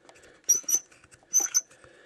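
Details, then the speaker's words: 1999 Honda Odyssey radiator fan turned slowly by hand, engine off: short high-pitched chirps in pairs from the fan motor, heard when slowing down while driving. "Well, anyways, here's the chirping noise I was hearing."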